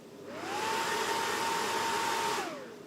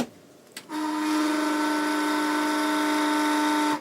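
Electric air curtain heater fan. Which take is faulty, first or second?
second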